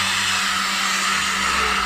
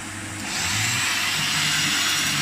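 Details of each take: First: Rare 1980s Hoover's electric power head run on minimum: harsh high whirring hiss with an uneven rough edge. Brush roll noisy; speakers think it may be the bearings or a loose wire, unconfirmed. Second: Rare 1980s Hoover on full power over carpet: steady even motor drone with a rushing airy hiss, no rattles, surging or scraping. Motor judged to sound really good; running healthy.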